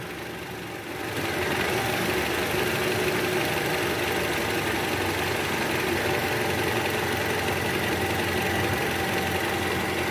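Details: 2012 Toyota Camry 2.5 V, 2AR 2500cc, 106,000 km, at idle after balancer shaft replacement and tune-up: steady, smooth hum; the cold-start rattle from the oil pan area is gone.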